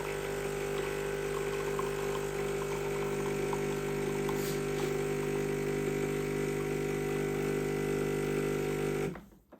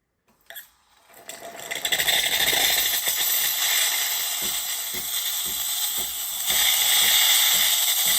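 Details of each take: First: Used bean-to-cup automatic coffee machine during extraction: a steady, loud pump drone with a buzzing pulse that then cuts off, plus a few cracks from the internal mechanism the tester dislikes. The pump sounds noisy, cause unclear. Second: Used bean-to-cup automatic coffee machine, steam setting, after a big crack the tester warns might be serious: a brief sputter, then a strong steady high hiss, messy but working. Steam wand normal.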